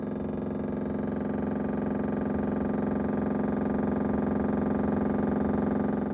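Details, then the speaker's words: Refrigerator with a door not fully closed: loud, rapid, even clattering as the fan blades hit frost built up at the lower air vent; fix is to move the lower-compartment food up. "大家可以听到声音非常的大这个声音主要是由于门没有关紧导致空气进入空气进入然后在排气口和排气的内部结霜之后和排气扇当产生摩擦造成的声音"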